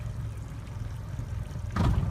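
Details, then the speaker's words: Used pontoon boat outboard at idle during sea trial, shifting from neutral into gear after a three-second pause; low idle rumble then a brief clunk as the gear engages, a normal engagement sound. "and what we're listening for is that change of sound that kind of it's almost sounds like a clunk"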